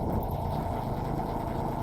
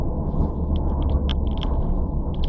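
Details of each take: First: Matino na siya men. Ayaw ko pa naman mag-vlog kanina pero yan okay na idol natin tol hindi napupugakpugak kinukulang lang pala Second: Nissan Sentra B14 with bad spark plug burn on all four cylinders, plugs replaced and a valve cleaned, owner suspected rodent-chewed wiring: deep uneven idle rumble with irregular stumbles and loping beats; rough idle misfire.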